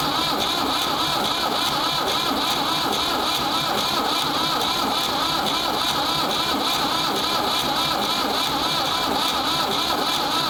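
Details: Ford 3600 diesel tractor with rebuilt CAV injection pump, bleeding injectors: long steady cranking whirr with no catches at all, long cranking on a warm corroded negative battery cable; no-start from seized injection pump plungers.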